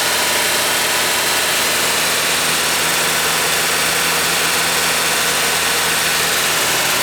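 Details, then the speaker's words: VW Westfalia, first cold start after cylinder head replacement, lifters pumped down: a steady idle with a light, quick lifter ticking on top. "It's got to tap like a bastard because all the lifters were all pumped down, so I don't expect it to sound very good when it does start, but let's see what happens."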